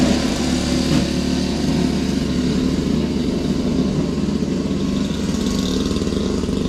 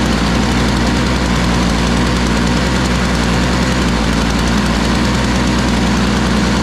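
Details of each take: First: Toro Powerlite single-stage snow blower, model 381182, 98cc two-stroke, 16-inch, old primer bulb, briefly warmed up, clearing sidewalk: steady buzz with low even drone, no misses or knocks; normal running under load. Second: Toro Powerlite single-stage snow blower, model 381182, 98cc two-stroke, just started, old primer bulb: loud, lumpy, uneven putter; owner thinks it needs warm-up time, not running too badly. Rough running.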